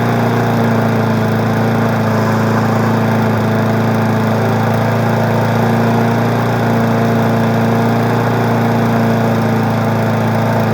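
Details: 20-inch mower's engine gives a smooth, even drone at one steady pitch with no shake or stumble after its wake-up; unlike the owner's vibrating Murray, this one doesn't shake. Normal running.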